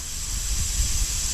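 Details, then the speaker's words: 2023 Sea-Doo GTX 300 Limited, stage 1, slow at 74 mph, engine off and pressure-tested through the supercharger with a homemade device. Steady airy hiss over low rumble reveals a boost leak. "uhoh we have a leak we definitely have a leak"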